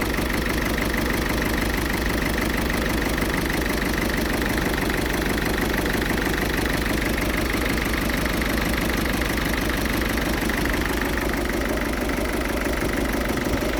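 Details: Ford Fiesta 1.6 TDCi diesel idling with an uneven, lumpy beat about three pulses a second over steady clatter; rough idle, also smokes acrid when revved, cause undiagnosed.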